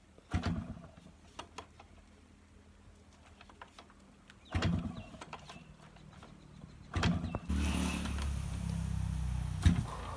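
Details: Yamaha RX100 two-stroke, cold morning start after heavy rain, kick-started: repeated kick bursts a few seconds apart that cough but never settle into idle; hard cold starting.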